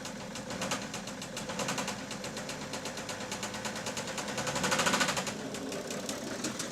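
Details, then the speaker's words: 2008 BMW E65 730d diesel, first start after dead battery: rough idle with uneven sharp knocking about three per second and a stumbling beat; unclear if top or bottom end, seemingly not firing on all cylinders. "yeah that really does not sound the best is it it's hard to tell if it's top end or bottom end but yeah it doesn't seem like it's firing on all cylinders anyway"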